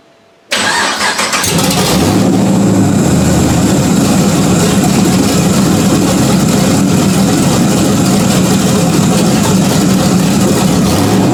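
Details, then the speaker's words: 1991 Porsche 944 S2 with swapped Chevy 6.0 LS L77 V8, first start in over a year after clutch work and new injector O-rings, open headers: quick crank, catches into loud, lumpy but even idle; runs healthy. "[Music] well still runs let's see if anything's leaking out of the bottom"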